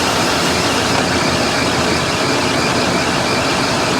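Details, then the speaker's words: Salvage-auction V8 idling in heat with AC compressor on and cycling: thin steady squeal, suspected slipping belt or pulley; cause not confirmed. "i hear a little bit of a squeal from somewhere probably a belt pulley or something like that no big deal"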